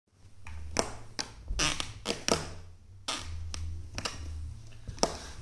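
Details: Old wooden floorboards in an older building creaking: sharp cracks and dry creaks as weight shifts, from nails and boards rubbing where the noise is loudest; fixed by driving Torx floorboard screws at that spot.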